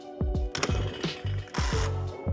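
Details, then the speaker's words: 50cc moped engine, bare engine turned over by hand during teardown: irregular ringing metallic clunks, a few each second; owner suspects a blown bearing, not confirmed. "sounds pretty metally. I might have to tear this thing down even more."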